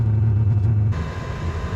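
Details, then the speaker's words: Diesel heater on one-quarter diesel, three-quarters waste oil mix, after shutdown: low steady roar then softer rumble as burner keeps firing; prolonged afterburn, suspected unburnt fuel meaning the waste oil wasn't burning. "the fact that it's still burning indicates that there's unburnt fuel in there which probably means that waste oil wasn't burning"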